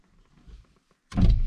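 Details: 1997-2001 first-generation Honda CR-V with non-working power door locks and a dead driver-side window: a working passenger power window motor gives a short smooth whir with no grinding or clicking.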